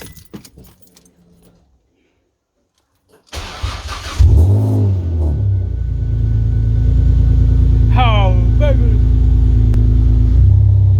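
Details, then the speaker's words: Ford Mondeo Mk3 ST220, first start after a front subframe install with fresh coolant. The starter catches and the engine settles into a steady, even idle; slight smoke from fresh oil and handling residue is expected. Normal start and idle. "Oh hell yeah, listen to that, it's running. We got a bit of smoke, but that's expected."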